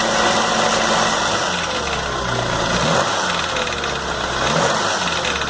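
Busy metallic rattle riding over a steady idle, loose and chattering rather than a deep knock, consistent with a rattling idler gear.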